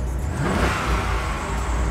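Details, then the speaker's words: Auction-yard V8 car fires up and revs with a loud, uneven, lumpy low rumble that never settles; rough running, cause unconfirmed. Squeaky belts, a rattling pulley and occasional oily smoke from low in the engine bay were also noted. "but it's a v8 so oh that sounds horrible"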